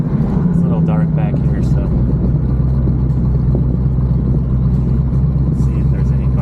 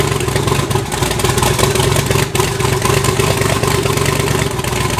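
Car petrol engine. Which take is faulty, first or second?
first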